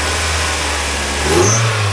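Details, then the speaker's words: 1999 Mazda Miata, 1.8L, 5-speed manual, 166,000 miles, chromed intake: steady idle then a clean quick rev blip that rises smoothly and settles back; runs fine with a little blow-by, nothing crazy; normal revving. "Runs just fine. Got a little blow by, but nothing crazy."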